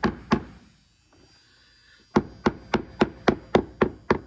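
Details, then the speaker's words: 1956 Capri boat with a rotted bottom being replaced, sounded by tapping every 3 inches just behind a frame. Steady tapping at about four per second, mostly sharp knocks, with a really dull thud behind the frame suggesting possible soft wood (unconfirmed). "You hear that? Dull thud here. Right behind this frame right here. We go to a really dull thud."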